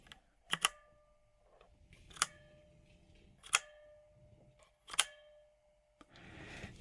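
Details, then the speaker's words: Redragon K556 Devarajas full-size keyboard with brushed aluminum case and Outemu switches: slow keystrokes each leave a thin metallic ring that resonates briefly. The case is pingy, and aging metal is suspected. "can hear how it rings it resonates after each keystroke this probably has something to do with it being old age of metal"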